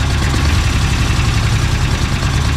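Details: Engine idles deep and lumpy with an uneven, stumbling thrum, missing on a cylinder; a vacuum leak is found, a plug missing from a vacuum port.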